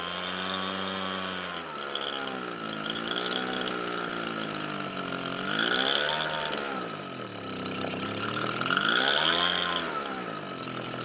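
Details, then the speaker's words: Redmax EBZ7500 two-stroke backpack blower, cold start, runs and dies despite Sea Foam and carb cleaning: engine speed hunts up and down every few seconds at part throttle; surging, carburetor suspected before fitting an aftermarket carb. "here we go runs dies surges and starts"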